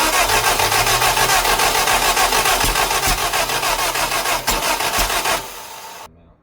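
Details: Lotus Europa Twin Cam with Stromberg carbs and 123 Ignition distributor, first start while turning distributor during cranking; valve clearances were way off, timing and carbs spitting fuel back suspected: ragged uneven firing, never settles, sags and cuts out.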